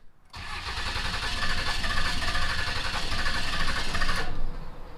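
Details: Salvaged Dodge Cummins diesel, not running, cranks long with uneven chugging and irregular pops that never catch, after cam position sensor (code P0341) and pressure relief valve replacement; points to a stuck-open fuel injector.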